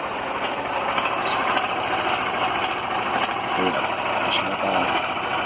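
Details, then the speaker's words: Honda Fan motorcycle at idle after an oil change and service: fast, even light ticking from the cylinder head. Shops call it normal, but the owner believes it is not; source unconfirmed. "Aí ela apresentou esse barulhinho aqui, ó."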